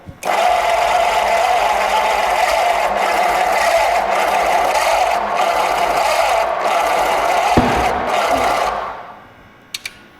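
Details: Flathead V8 pulled from a barn, believed to be a runner, on a homemade engine run stand. Ignition and fuel are on with a little throttle, but it only gives steady starter churning at about four turns a second for eight seconds and never fires. Owner wonders about timing.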